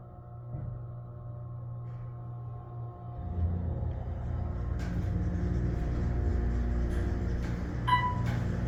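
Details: Otis Series 4 hydraulic elevator, floors 1-5: low motor hum builds and drones about ten seconds, rumble thickening, before the car moves; very slow startup, bouncy starts and stops.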